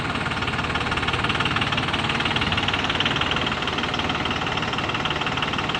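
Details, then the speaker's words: 2003 Dodge Cummins diesel at full throttle, barely revving, truck and bumper grille shaking; rough, uneven clatter and misfire; injectors tested good, dealer suspects bad computer. "Anybody ever seen a diesel run like that? The truck is actually shaking pretty hard. See, my bumper grill is vibrating."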